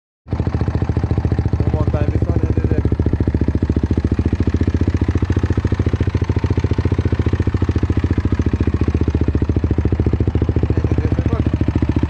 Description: I have Honda crf250r 2015 / and I have strange noise from engine any recommendations?